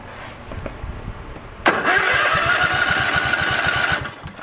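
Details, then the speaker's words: Craftsman riding tractor engine cranking: a steady whir with even pulses about four a second that never catches. There is no spark and little compression; the ignition coil is dead. "that's a dead so that coil is probably been minced actually let's put the wire off of it make sure that's not a but now there's no no ground yeah that coil is gone"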